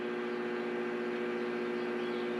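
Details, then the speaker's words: Victron IP22 Blue Smart 12V/30A charger in bulk stage charging a LiFePO4 battery at full 30 A: steady mid-pitched hum, no crackle or pulsing; loudest it gets, quiets at 15 A; normal. "That's about as loud as I ever hear it go."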